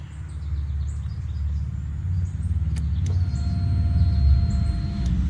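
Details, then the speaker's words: Honda CBR600RR, crashed and drowned in a pond, with the tip-over switch bypassed by a paper-clip jumper. At key-on a thin electric hum of about two seconds over low rumble is the normal fuel pump priming. "Oh, I hear the fuel pump."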